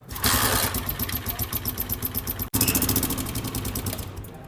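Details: Honda CG 125 single-cylinder bike engine at idle: light, fast, regular ticking from the top end over the exhaust beat; oil supply confirmed flowing, exhaust valve tappet free play found far beyond spec — excessive tappet clearance.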